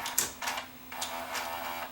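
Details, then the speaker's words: Sony SLV585 VCR with ticking mechanism, tape not reversing in search: clattering clicks and a brief whirr with no steady rewind spin; clutch problem in the mechanism makes the deck eat the tape. "and it's going to probably eat the tape now which it is so we have a clutching problem on this in the mechanism"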